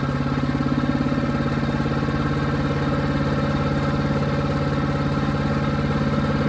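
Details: New Harbor Freight Predator 212 chipper shredder engine that only ran on choke, after fix: steady even idle with regular low thump, no stumbling, surging or knocks; running normally.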